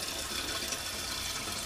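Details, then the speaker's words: Single-flush toilet adjusted for dual flush: lever pushed normally gives a short, even rush of water that drains cleanly without gurgling or hiss. Normal reduced-volume liquid flush. "So, when operating the flush, you will push the lever normally for a liquid flush."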